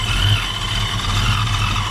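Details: 1987 Ford Mustang LX 5.0 automatic with Vortech A-Trim supercharger, converted back to speed density: loud lumpy idle, uneven pulse and hiss, missing and hunting; owner suspects a vacuum leak or missing supercharger piece and says idle needs setting, EGR not working.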